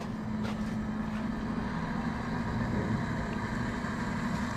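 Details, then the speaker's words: Taco 009 circulator pump on a Central Boiler CL 6048 outdoor wood boiler: steady, even low hum with no knocks, rattles or surging, no leaks; normal running. "ladies and gentlemen we're running ladies and gentlemen that sounds pretty good to me no leaks it's tight it's running"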